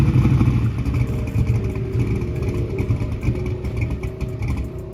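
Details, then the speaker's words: Small-block Chevy drag race engine, together a year and run hard, just after all spark plugs were changed: uneven, lumpy running with irregular thumps as it revs and falls back; owner suspects a dead cylinder; rough running. "all right guys so uh this thing still making a little noise it's running rough sound like I had a dead hole so we just went ahead and changed all the spark plugs in it"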